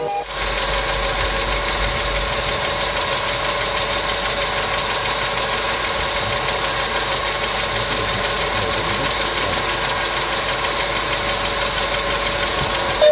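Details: Engine hydraulic lifters (compensators) ticking: light, fairly regular ticking about three per second over a steady idle; client complained of engine noise, treated with a TOPLIVODAR additive (repeat dose after 500 km advised), after which the noise was reported eliminated.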